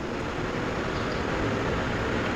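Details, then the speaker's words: Centrix PF20 stand fan after repair of slow start-up and humming: steady, even rushing of air at speed settings one to three with no hum, rattle or sluggishness; fan back to full speed. "So mabilis na at balik na sa dati yung kanyang lakas."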